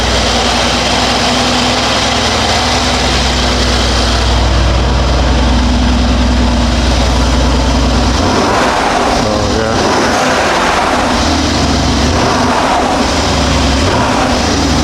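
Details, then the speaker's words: 2019 Mercedes-AMG GLC63 S Edition 1, M177 4.0L V8, 59,000 miles, after spark plug and injector replacement for misfires and fuel pressure code: low, even idle with steady firing, no shaking or smoke where it previously shook; normal idle. "Okay, it took a couple seconds to start. Definitely runs smoother. Before it was pretty much at this point already will start shaking."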